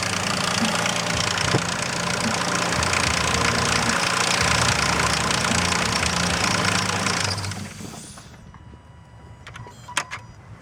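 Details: Nissan Frontier VQ40 V6 idling with a steady, quick ticking from worn timing chain tensioners before shutting off.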